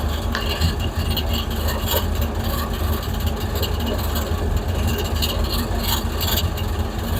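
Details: Hemi Plymouth Duster after fitting a new alternator, now charging 14.8-14.9 V: steady even V8 idle with a deep low rumble and some shop clatter; running smoothly.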